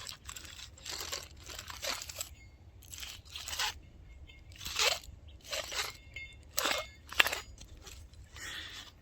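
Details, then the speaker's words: Old front wheel bearing assembly from a 2WD 2006 Lincoln Navigator, removed and spun by hand, gives gritty crunching grind in bursts; badly worn, would likely seize on the highway. "it's pretty shot so yeah that wouldn't have getting on the highway that would definitely seize up so i'm glad that's taken care of"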